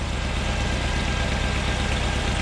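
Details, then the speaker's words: Jaguar V8 idling after being started on a dead battery (only one click) with a TackLife T8 Pro jump pack. Steady even smooth low rumble, no knocks or misses: normal idle. "This thing, this TackLife, just started Jaguar on a dead battery."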